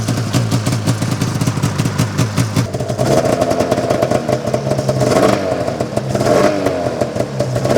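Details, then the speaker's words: 2005 Arctic Cat Firecat F6 two-stroke snowmobile just started after sitting, smoking heavily: ragged, uneven running with clattering and scraping surges as it revs. Clutch sticking badly and not disengaging; an unidentified bad noise was also heard. "So I gotta figure out that clutch because the clutch is not disengaging. So it's not good."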